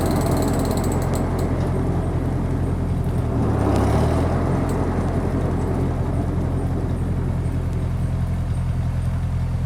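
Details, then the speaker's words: 1951 Ferguson TEA20 tractor stopped with a Befco rear 6' finish mower: quick clicks, roughly three a second, over a steady engine, fading as the mower spins down. The new PTO overrunning clutch freewheeling normally. "you see if you can hear that click click click from the uh mower or from the overrunning clutch."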